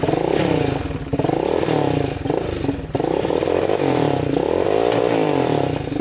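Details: Yamaha Warrior 350 quad, year unknown, jump-started with a dead battery before any repair: revs rise then sag and stumble each time the throttle opens wide, bogging and won't pull to full throttle.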